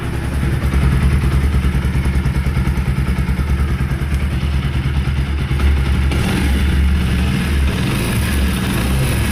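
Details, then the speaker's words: Carbureted Pulsar NS200 idling in neutral: rough rattling pulse on each firing beat, about three per second; worn right-side crankshaft bearing, balls found eaten away internally. "Esa es la la balinera del cigüeñal. Entonces son lo que suena así. Ya la balinera está mala."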